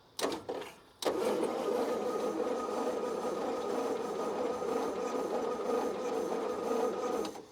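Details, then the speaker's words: Roughly 1952 Austin 6-cylinder petrol truck with 4-speed gearbox, abandoned possibly 20+ years, cranked on 12 volts via alligator leads; the starter spins it evenly for about six seconds with no catches or binding, so the engine turns over freely. "Ooh. We can't ask for more than that."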